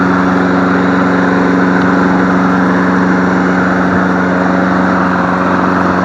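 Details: Free MTD Select Series 21-inch self-propelled mower, cord snap-back suspected from sheared flywheel key, running on leftover tank fuel: steady even pitch, constant drone, no misses or knocks; sounds pretty good.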